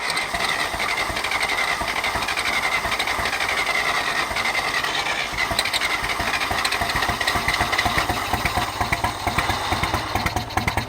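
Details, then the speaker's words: Uneven, galloping, stumbling exhaust beat over a rattly idle as one cylinder drops out on a John Deere 1010 tractor with new carburetor, full rewire and new exhaust. Fuel and spark are confirmed; owner suspects a bad ignition coil (ballast resistor in line) or sooty plugs from a rich mixture. "So my guess is I have a bad ignition coil. I'm getting good fuel, I'm getting spark, but it sounds like it's got a gallop in it, so I don't know if that's just because the spark plugs are coated with all the soot from me starting it and it being too rich of a mixture."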